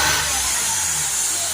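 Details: Mercedes E350 V6 CDI diesel with high DPF soot readings, engine running: loud steady high-pitched rushing hiss of air escaping from a massive boost leak low in the engine bay, spray deflected away at the leak.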